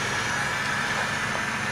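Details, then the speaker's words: 2006 Ford F-450 ambulance: with engine running, opening the second rear door vents the rear air suspension to lower the deck for the gurney; steady rush of escaping air with a faint even whistle, normal lowering. "so when we open the doors not this one but the second door it will release the air you can hear it"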